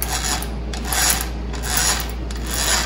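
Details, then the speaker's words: 1966 Mercury 9.8 hp outboard lower gearbox turned by hand: rough rasping grind repeating a little over once a second; water found in the gear oil, unit stuck in forward gear only; grinding gearbox before disassembly. "sound real good does it folks so we're gonna pull it apart plus I can't get it to do anything but being forward gear"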